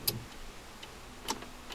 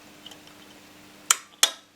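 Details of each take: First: Honda Accord electrical no-start, recorder placed close: turning the key gives relay clicks (fuel pump relay) then silence on start; sharp isolated clicks about half a second apart, no starter turning. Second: Honda Accord starter relay tested with 10–12 volts on the control circuit during a no-start diagnosis: six sharp clicks in pairs as the relay snaps in and releases, closing the circuit; relay working normally.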